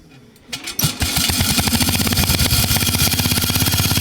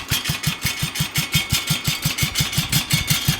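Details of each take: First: 1966 Bolens 1050 tractor, single cylinder, freshly repainted, loud muffler pointing straight up. It catches into a fast chuff, then turns loose and uneven dropping toward idle. Owner says it normally idles lower but is picky today: rough idle. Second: 1966 Bolens 1050 tractor single-cylinder at very low idle, a slow thump about three beats a second with light ticking on each beat. This is normal valve clicking at idle.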